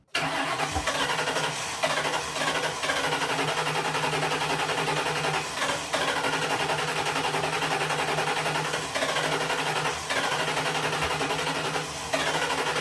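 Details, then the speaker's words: Cab-swapped 2003 Grand Marquis (Crown Vic) engine after about three years unrun, old gas replaced, belt off, antifreeze leaking: cranks briefly, fires and holds a steady fast idle with a few irregular bumps; running again. "Yeah. I should have actually just left that on there, but it's running again."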